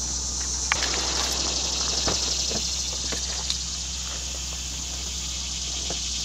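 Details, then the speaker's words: Subaru Baja after cleaning and lubricating the idle air control valve, restarted: steady low hum, idle drops right away to 750 rpm with no surging or hunting; previously idled high around 1800–2000 rpm. "right away my rpms drop down 750 the first time has done that in about three months"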